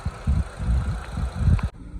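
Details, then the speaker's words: 2005 Mitsubishi Lancer 4G94 after transmission reinstall, warm-up idle: steady low even thumping, no scraping or grinding; drives good, sounds good. "But she drives good, sounds good, ice cold AC. That's a win-win in my book."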